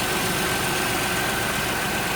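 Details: 2007 Grand Prix 3.8 3800, warmed up, after fixing intermittent no-spark no-start by reseating a barely connected plug to the ICM and crank sensor: constant, even idle with no misfire or stalling.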